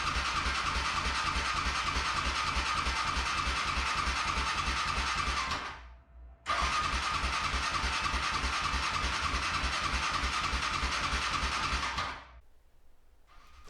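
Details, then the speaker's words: Used Yamaha Raptor 700R (2009-2012 model) ATV: steady starter cranking at about three turns a second, never firing despite confirmed spark; after a new spark plug and starter fluid it started. "so now it's not firing at all checked for spark and it had spark"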